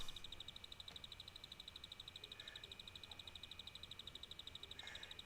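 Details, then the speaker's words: Salvaged PC power supply powering an FM2 motherboard build, mic moved close: fast, even high-pitched chirping tick about nine a second; owner thinks the supply will soon die, cause unclear. "est-ce que vous entendez le petit bruit que fait l'alimentation elle va bientôt glamer l'alimentation"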